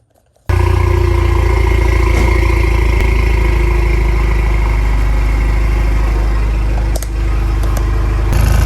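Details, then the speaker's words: Ford Focus RS with MBRP exhaust, warm idle recorded under the car on jack stands near the mid-pipe: light metallic rattle over exhaust drone, only once warm; pipe suspected barely touching a heat shield. "the part where I recorded the mid-pipe it sounds like it's just barely touching a heat shield and there's rattling"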